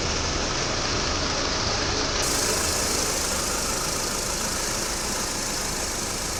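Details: 2014 Audi Q5 petrol after intake carbon cleaning, engine oil and filter change: steady, even idle with light fast injector tick, no stumbles; earlier random-cylinder misfires on cold mornings are gone.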